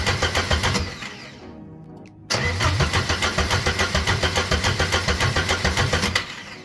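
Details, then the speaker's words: Porsche 924S after clutch, rear main seal and flywheel job: two bursts of even starter cranking at about 3.5 turns per second with no firing; owner suspected an unplugged ground, cause was swapped crankshaft sensors. "okay so it's not starting for some reason but it is cranking so mostly everything's working"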